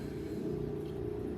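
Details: 1970 Dodge Monaco V8 idling with a rough, gritty crunch over the rumble from an alternator only about a year old that doesn't sit square. It sometimes unloads belts and makes the A/C clutch grind and slip.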